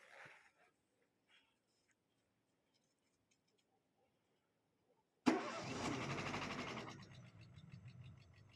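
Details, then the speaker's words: Renault Scenic 2 K4M engine at cold start: it fires after a silent pause and a quick light ticking rides over the idle for a couple of seconds. The cam phaser (VVT) clatters on start-up and stopped after a while. "Так, как цокает фазорегулятор."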